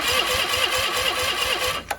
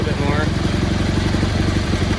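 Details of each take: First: Cub Cadet 1430 lawn tractor, sat abandoned for years with fuel gone red, cranked on a booster pack with a dummy spark plug: quick, even cranking around six beats a second, no firing; no spark because an unplugged connector to a shroud-mounted box was later plugged in, fixing it. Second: Cub Cadet 1430 garden tractor revived after years abandoned, after fitting a new spark plug (old one suspected fouled) and adjusting the mixture: steady, even low thrum with consistent firing beat, no stumbling; healthy idle.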